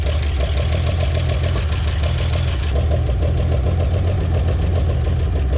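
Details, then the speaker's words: 1961 Chevrolet Impala, base 235 six-cylinder, three-speed manual, parked in junkyard about 28 years, first run: rough, lumpy idle with regular pops; popping at idle, owner suspects a fluttering valve, valve train issues. "kind of sounds like a valve fluttering in there though that pop pop pop that sounds like valve to me"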